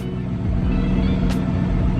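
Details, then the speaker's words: 2007 Chrysler 300C 5.7 Hemi at idle after alternator replacement: even low rumble, and the earlier alternator whine is gone. Charging reads about 13.9–14 volts; normal idle. "and as you hear you don't hear that whining noise anymore"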